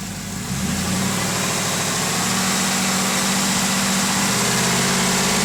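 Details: 2007 TBSS V8 at idle: light, quick ticking about three to four per second over a steady idle; suspected lifter tick, not confirmed.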